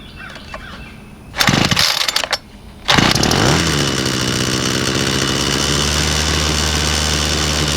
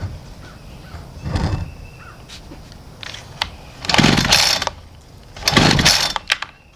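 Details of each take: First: Homelite two-stroke weed eater (50:1 mix) after a gas-tank, fuel-hose and fuel-cap replacement that fixed a starts-but-won't-run fault: a few pulls and sputters, then it catches and settles into a steady, even high buzz on half choke, running normally. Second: Homelite string trimmer on half choke after priming: catches in short half-second bursts twice, then dies; not drawing fuel, fixed by replacing the gas tank, fuel hoses and cap; fuel starvation, starts then dies.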